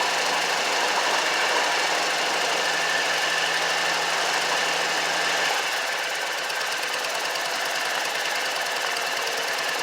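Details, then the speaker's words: Exmark 44 mower, Kawasaki FH701V V-twin, valves already adjusted: uneven lopey putter missing every other beat; one cylinder dead because that side of the two-barrel carburetor gets no fuel (starting fluid revives it); carburetor to be replaced. "now it's cranking and running fine on its own but this cylinder over here is not uh getting gas and the valves have already been adjusted"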